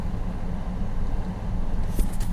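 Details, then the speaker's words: 1st-gen Dodge Durango project truck: steady, even, low idle rumble with no knocks or misses. A faint ticking mentioned is from the fan hitting something. "out of the net ain't running driving truck 130 1407 miles and look at that idle"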